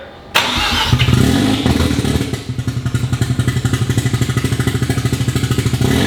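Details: Mazda RX-7 FD 13B rotary, half-bridge port, Turblown single turbo, wastegates not hooked up, first start after rebuild once oil pressure built: steady cranking about two seconds, then fires into a fast even idle; smoking but sound start.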